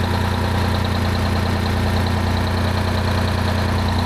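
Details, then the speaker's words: 1975 Peterbilt 359 heavy haul, Detroit 12V71 V12 two-stroke diesel, after cleaning up the fuel problem that left the right bank cold: deep, steady, even idle with no misfire, both banks now heating evenly, good oil and fuel pressure; normal idle. "still got great oil pressure now we're only seeing like 20 before oh it's super crisp we got good fuel pressure"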